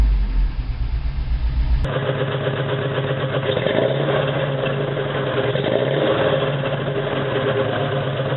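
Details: 1987 Toyota 4Runner, high-mileage reman engine, cold start first thing in the morning, clutch in, throttle blips: lumpy idle with a stumbling beat and irregular chuffs, still misfiring after 3 minutes. Cause: cheap head gasket leaked coolant, cracking the aftermarket head and fouling plugs.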